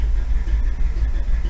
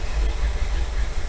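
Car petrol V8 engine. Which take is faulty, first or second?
second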